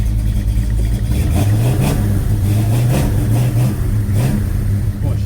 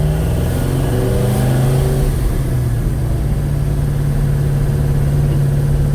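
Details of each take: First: 1956 Chevy Bel Air 307 V8 on its first test drive after fixing a diesel-like valvetrain clatter caused by mismatched valve springs and retainers. It pulls through light revs smooth and crisp with no top-end ticking. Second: 1956 Chevy Bel Air, 307 V8, first drive, at 185° temperature with about 40 oil pressure: loud rough idle with diesel-like valve train clatter, stumbling and not picking up throttle; caused by mismatched valve springs and retainers, quiet after fix.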